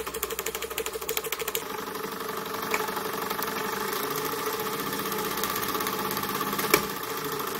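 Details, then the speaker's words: Model flame engine after a repair made on a new lathe, burner set as wanted: light, even mechanical chatter turning slowly, no knocks or stumbles; smooth, healthy running. "nice now I'm impressed with this beautiful smooth sound I'm impressed listen to that nice real nice"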